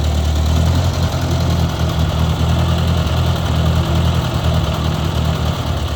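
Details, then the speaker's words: 1956 Ford 640 tractor, first run in years after clearing a pinched oil pressure line: deep, steady, even idle with no misses, knocks or compression issues; a little smoky and running rich, carburetor needs adjusting. "but it sounds like it's running really good guys I don't hear any uh compression issues or anything like that it's a little smoky"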